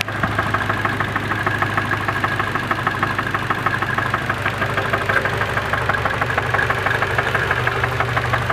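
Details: Nissan KA24DE engine idling after start-up: sharp knock about three beats a second over a steady idle; suspected rod knock from a bad bearing, possibly at 170 miles.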